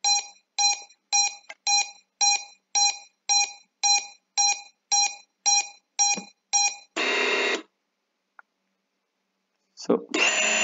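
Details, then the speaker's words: Drone after flashing INAV from Betaflight, battery connected, throttle at zero percent: short identical high beeps about twice a second from the ESCs, stopping once throttle reaches one percent and the motors spin; continuous ESC beeping, drone won't arm. "but as soon as i bring them down to zero percent again you have this continuous peeping"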